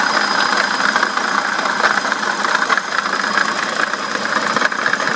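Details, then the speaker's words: BMW E65/E66 at idle: a constant high squeal with rough chirps from the water pump area at the front of the engine, ongoing for a couple of days, with no coolant leaking at the gasket. The owner is unsure whether it is the pulley, but believes the water pump bearing is failing. "it has a rough little squeak to it right there and so I'm not sure if that's the Poley or just the bearing but my water pump bearing is going out it's been squeaking pretty bad like that the last couple days"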